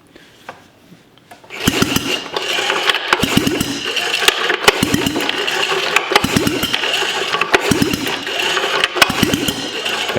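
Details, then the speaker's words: Sachs Wankel KM24 rotary engine (from a 1974 Arctic Cat Lynx snowmobile) cranking lightly without firing on a rough compression check: three pulses, one rotor face low, the other two higher; soft uneven beats, low compression, pitting and compression leakage. "i don't know if you all could see that but one of them was kind of low and then the other two are a little bit higher"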